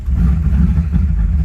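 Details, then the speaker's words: 1986 Camaro (3rd gen) driving uphill after throttle position sensor adjustment: uneven surging drone with momentary stumbles and coughing, a flat spot on acceleration; owner suspects it may be running out of gas. "and then she started coughing again i don't know i don't know boys and girls it came to life but it has definitely had a flat spot so it may be out of gas"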